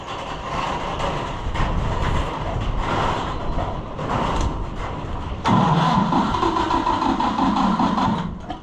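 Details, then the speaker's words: Fiat tractor that quit because sediment bowl was full of contaminated fuel; starter grinds engine over at three to four turns a second with no firing in heavy wind; fuel-starved crank no start. "I don't know that it will, but uh it would be interesting to see if it's going to run now, and the reason that it quit was because the sediment bowl was full of unsavory fuel."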